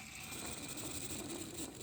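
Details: 2004 Chevrolet Silverado serpentine/A/C belt tensioner pulley spun by hand off the truck: dry, gritty whirring rasp with a faint steady whine, very loud in person, from a worn bearing; assembly being replaced.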